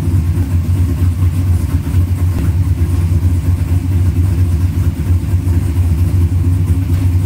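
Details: 1972 Chevelle with a 4-barrel Holley carburetor, after replacing the front float pan gasket and diaphragm to cure a gas leak: deep, even V8 rumble at steady idle with no stumble or miss, no leaks seen; running clean and healthy.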